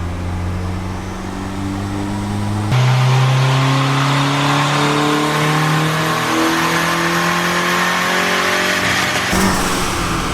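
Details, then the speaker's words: Turbo Civic with eBay turbo kit, Hondata S300 ECU and manual boost control, first logged pull: climbs hard then flattens abruptly like hitting a wall at the top end; running rich from too much fuel in the VTEC map. "Alright, we're a little rich up top. 166. Sounds like you hit a wall or something there. Yeah. Just a lot of fuel in the VTEC map."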